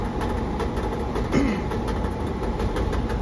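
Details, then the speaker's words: HVAC exhaust fan making a loud noise; after the clamp is reattached, a light tick and rub repeats once per turn over the fan rumble, as the bent, wobbling blower wheel hits the housing and needs replacing. "and it still seems like it's hitting something [Music] yeah let's see that wheels bent you see it in there wobbling yeah it's not good so this wheel is no good"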